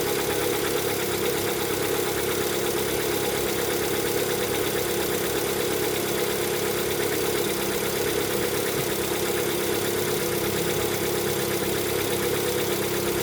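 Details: Lada Vesta, 11,000 km, cold engine: steady idle with a fast, light ticking knock over the engine hum; owner attributes it to piston knock on cold start.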